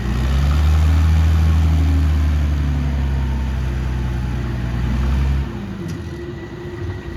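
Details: 60-year-old Clark Michigan 55A loader, Perkins 354 diesel, after fitting new part with O-rings, rocked forward and reverse: deep steady rumble, even firing, smooth under load then easing off; healthy, leak fixed, dry.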